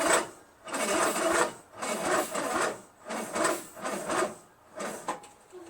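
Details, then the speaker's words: Craftsman LT1000 lawn tractor, freshly rebuilt Briggs 46 opposed-twin engine, first start attempts after a brief run on carb cleaner: sluggish cranking in heavy bursts about once a second, never catching. Battery is dead, not strong enough to start. "Battery's dead. Battery's not strong enough to start."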